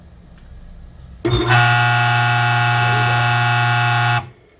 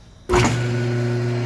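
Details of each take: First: Weber 2 HP low-speed electric motor switched on: loud steady hum with a harsh, dry, rasping buzz over it, a strange dry noise from dry bearings. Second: Small single-phase 2 hp electric motor on a normal outlet, after cleaning and lubrication cured a dry, strange noise caused by dirt: it switches on and settles into a steady, even hum with no grinding or rattle, running normally.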